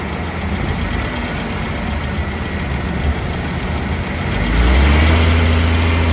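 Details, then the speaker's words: Dodge Caravan / Chrysler Town & Country driving, phone taped near the exhaust flex pipe after the catalytic converter: a harsh, gritty grinding rumble under the van, about four beats a second, rising with speed, from a worn flex pipe. "you heard look like a grinding sound under to your chassis or engine or close to your wheel try to figure out first this flexible pipe after the catalytic converter"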